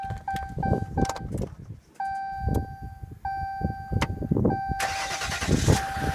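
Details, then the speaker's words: 2015 Ram EcoDiesel with 124 miles on a 9°F morning whose starter would not engage until the solenoid was jumpered repeatedly (second time this has happened): door chime and clunks, then the starter catches and the diesel fires into a steady clatter. "There we go. Now it'll start."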